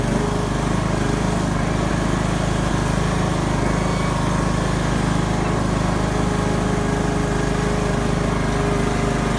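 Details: Craftsman YS4500 lawn tractor, 20hp Briggs & Stratton Intek, after new head gasket (failed beside pushrod chamber, burning oil) and tune-up: steady, even beat at fast idle, no misses, knocks or surging; oil burning seems fixed.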